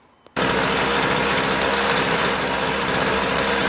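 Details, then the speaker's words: Small free two-stroke machine after a leaking part was sealed with silicone: it bursts into a high, buzzy, steady run after starting but stalls when switched to run. "Fire it up. Except it stalls on run."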